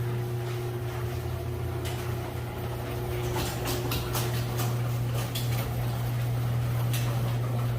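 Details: Chamberlain chain-drive MyQ garage door opener newly installed on a 280-pound insulated door: steady motor hum with light chain rattle and a few clicks as the door travels; runs smoothly and sounds healthy.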